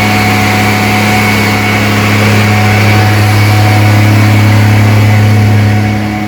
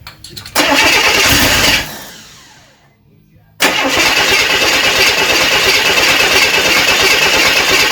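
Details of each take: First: Rebuilt 230 six-cylinder on first start, cam break-in at fast idle about 2000 rpm, 40 psi oil pressure, 180° temp, timing advanced to about 10° initial; clean even hum easing down, no valvetrain tick; healthy. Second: Rebuilt 230 six-cylinder cranking while setting timing; starter turns it over in steady bursts, never coughs; crank no-start, ignition timing too retarded.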